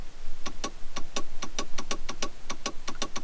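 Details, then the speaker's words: Jeep Grand Cherokee sunroof not working, fuse checked: pressing the switch in both directions gives sharp relay clicks with no motor hum following, so the relay switches but the sunroof motor does not run; cause not confirmed. "mais par contre là et quand même une évolution parce que ça déclenche bien les rôles et je vous approcher pour copie sur internet les deux sens on peut l'entendre bien le rôle et qui se déclenche"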